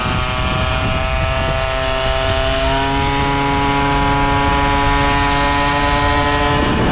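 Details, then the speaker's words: Motobécane AV88 moped two-stroke, fitted with an AV10 cylinder head, warming at idle: light, fast clacking over steady idle from slightly damaged variator cheeks; only at idle, disappears once riding; engine runs smoothly, starts better. "Donc ce que vous entendez claquer légèrement, c'est les joues du variateur qui sont un petit peu abîmées et qui claquent."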